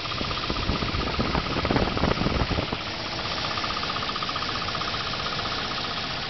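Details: 1989 Volvo 760 Turbo wagon with 230FT engine from a 1994 940 SE, about 110K miles, synthetic oil: rough irregular knock at cold idle, strongest after start, worsening over a year; owner suspects bell housing/torque converter area.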